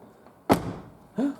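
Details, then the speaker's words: 2016 Mazda CX-5 door after replacing the door latch actuator: door closed slowly gives two solid clunks about 0.7 s apart as the latch catches cleanly; latch working normally. "going to close it slowly so we get to two clicks there's one is that the other one yeah okay hardly heard"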